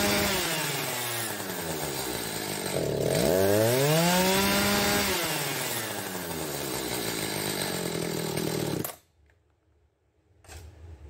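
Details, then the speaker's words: Echo chainsaw unstarted for months, cold start after choke: revs hunt and starve, surging and sagging, then sputter out after about nine seconds; lean stall, carburetor tuned too lean. "that's a lean stall you hear it kind of hunting and starving and then it finally just putters out like that"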